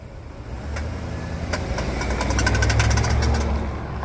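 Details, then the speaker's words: Suburban creeping in reverse: single sharp click each time going backward over low idle, heard from the rear between the rear tires; U-joint or differential suspected, unconfirmed. "it's somewhere in the rear it's between those two rear tires it's the around the U-joint or the differential that's where I'm hearing that one more time buff"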